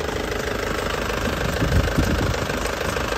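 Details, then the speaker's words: Late-2003 Isuzu Panther LS Black Panther diesel, full original engine, radiator and alternator recently serviced: deep even idle clatter, no ticking, misses or surging, not rough, no blow-by smoke, clean exhaust; healthy engine. "suara tek tek tek tek tek tek enggak ada tidak kasar ya"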